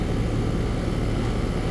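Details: AC condensing unit running normally after a bad dual run capacitor was replaced (universal Turbo 2000) on a no-cooling call: even low hum, smooth fan whoosh, no buzzing, clatter or stalling. Compressor had overheated; it now draws about 10 A, the condenser fan about 1 A.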